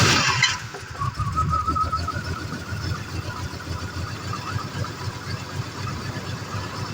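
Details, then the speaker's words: 1986 Jaguar XJ6 that sat unstarted for two years. It cranks, catches with a loud burst, then drops to a weak, uneven low idle and dies. The engine starts then stalls. "let's see what's the issue on it you see the fire has died the fire has gone off so let's start again"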